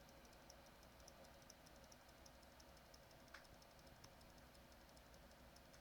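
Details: XFX 450W Pro power supply, heard after swapping in an R7 250X GPU: faint, fairly regular ticking, a few per second, over a low hum. The owner suspects the PSU is faulty or can't handle the new card.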